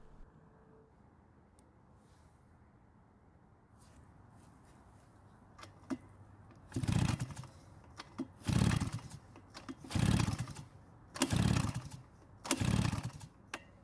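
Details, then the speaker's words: Shindaiwa backpack blower, two-stroke, dirty carb area, fuel in tank: five pull-starter rasps and it never catches. Intake found much too loose, letting air leak in. No-start from intake air leak. "that's when I realized the intake was loose in fact it's much too loose"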